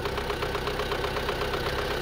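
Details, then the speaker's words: Chevrolet Sonic 1.8, cold start, timing cover removed, constant exhaust camshaft code: fast, even ticking over steady cold idle, louder than normal valve noise, mainly when cold; valve train ticking. "Сейчас на холодную завели. Она именно на холодную в основном барабанит. Потом у нас всё восстанавливается."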